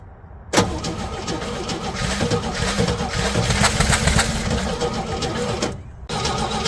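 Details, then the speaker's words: 1964 Chevy C10 on its original drivetrain, first start in 30 years on a cold day, bottle-fed fuel into the carburetor. After a short crank it catches and runs with an uneven, lumpy beat and little power; rough, weak running. "carburetor um everything's seized loose all around not great but bottle feeding it that ran really good actually I'm so happy right now sounds like it is weak as hell"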